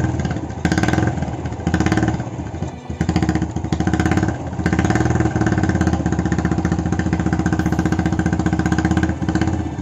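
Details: Honda Astrea Legenda carbureted single after clearing a stuck slide jammed by old wire insulation (needle had come loose) and cleaning the carburetor: even idle putter, light throttle blips picking up cleanly; runs healthy and smooth.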